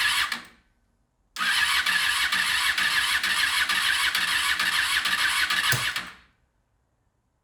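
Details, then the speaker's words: 2001 Honda VFR800FI (Gen 5) V4 revived after restoration, coolant refilled with water: brief starter whir, then it catches into a steady, even idle before switch-off; healthy start, engine sounds really good. "yes so she runs now the engine sounds really really good"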